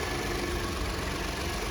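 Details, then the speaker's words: Salvage-auction vehicle just jump-started: smooth, even low hum at idle with no knocks or misses. The check engine light is off and only the airbag light shows; the engine is purring and sounds healthy. "And this thing's purring. It's sounding great."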